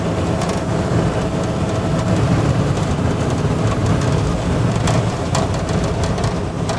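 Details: 1968 Chevy LS-swapped V8 with big cam idling during tuning (timing and IAC adjustments): lumpy, choppy but steady idle with no misses; vacuum leak found afterward (transmission modulator line disconnected); normal idle.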